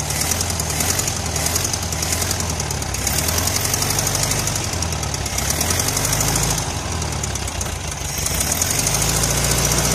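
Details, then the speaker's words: 1973 VW Karmann Ghia, sat 28 years, with new plugs, wires, coil, cap, rotor and electronic ignition replacing points, just started after bogging: low, lumpy chuffing idle three to four beats a second; idle set low, timing possibly off. "like the idle is set a little low. Timing may still be off, but she's running."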